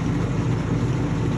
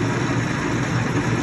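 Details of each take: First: LeBlond Regal 13" x 30" engine lathe headstock in rotation with a steady low gear-mesh growl rising and falling with spindle speed, not a ticking; otherwise machine in nice shape. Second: LeBlond Regal 13" x 30" engine lathe running through the low, mid and high ranges (45–654 RPM): steady, even hum from the headstock gears, a mesh rather than ticking, with no knocks or grinding; running smoothly and healthy.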